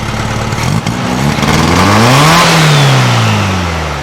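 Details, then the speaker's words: Carbureted flat-four in a 1956 VW Beetle, open pipe, after rewiring fire-damaged wires and timing the distributor: throaty idle stumbles, then revs slowly to a modest level and drops back; revs fine only when choked, so still running too lean. "Alright, that's the answer. It revs up fine when I choke it. That means it's still running too lean."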